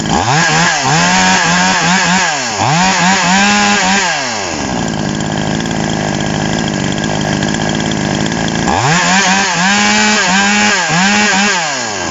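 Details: TOMITSU 5800-body two-stroke chainsaw, sprocket-gear clutch type, just after initial carburetor adjustment with a screwdriver: crisp burble at idle jumping cleanly to a high scream and back twice; even, steady revving, healthy.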